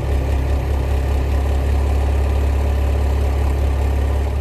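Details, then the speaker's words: Renault Mégane rejected at technical inspection for exhaust fault, after exhaust repair: smooth, steady low idle hum with no puffing, ticking or rattling from underneath, no leak; normal idle. "je ne sens pas de fuite même à la fédération on n'a pas de bruit d'échappement pantaleo la voilà ben là on est bien on est très bien aucune fuite"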